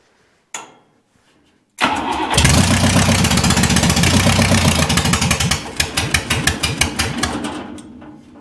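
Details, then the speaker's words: Buick 401 Nailhead rail dragster, first start attempts: catches after cranking, runs rough and uneven about six seconds, then stalls; owner suspects fuel starvation, accelerator pump not squirting, needle and seat probably stuck, long fuel line to suck through. "yeah it's just not it's not getting gas it's not squirting accelerator pump's not done it's probably needle and seat probably stuck"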